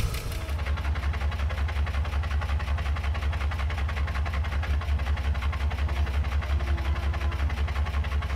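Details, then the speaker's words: Ford EL Falcon Futura off the road for years, barely run: a steady light tick, roughly three a second, over a low idle; the owner is unsure whether it is a lifter tap or a bad pulley bearing. "all right so as you can hear that noise I'm not too sure if that's a like a tap it lifter type noise or whether there's a bearing in one of these pulley that um that's no good but we'll we'll work that out today"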